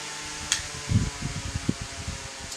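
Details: Lakewood fan, motor getting dusty, running on high: soft, steady low hum under a few handling thumps; no rattle or scrape, running normally.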